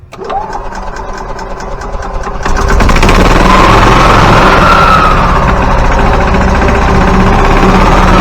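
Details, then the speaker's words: Yamaha G29 golf cart engine, fully rebuilt (rod, piston, rings), after replacing crankshaft and camshaft to cure gear-timing noise. Catches, settles to steady even idle, revs cleanly, no knock or tapping left: normal running. "So there you see that noise is definitely not there anymore."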